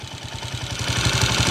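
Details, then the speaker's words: 2010 Honda TMX155 motorcycle idling in neutral with a loud metallic clatter over its low thump; the engine is noisy, whines and clatters in neutral, and emits smelly white exhaust smoke. "So ang isue maingay may may halinghing pag naka neutral malagitik tapos usok"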